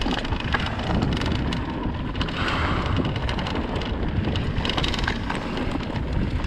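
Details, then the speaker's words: 2020 Vitus Sommet CRS mountain bike riding a bike park trail: dense, fast clicking and clattering over trail rumble and wind from loose internal cables rattling in the frame, before fixing with split braided sleeving. "I don't know if you guys have noticed, but in my previous videos, the cables on my bike are extremely rattly and it drives me insane."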